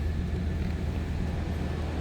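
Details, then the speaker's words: 1994 Chevrolet Silverado 1500 extended cab 4x4, 5.7 L 350 V8, automatic with overdrive, just after a cold start with oil pressure up: steady even low rumble, no knocks, ticks or stumbles; normal cold-start idle. "Again, 5.7 L 350 V8. Sounds like a stock 1994 Silverado half-ton to me. Good sounding truck."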